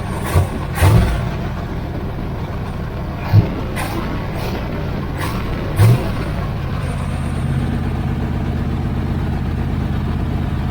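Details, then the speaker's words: 1980 Camaro Z28 V8 just started after installing new knock-off Holley 4-barrel carburetor; fast steady idle with a few throttle blips, idle too high so it moves fast in gear: high idle. "let me let it run for a minute and uh see if I get that idle down a little bit lower cuz I I can have it putting it in gear and having it move real Fast."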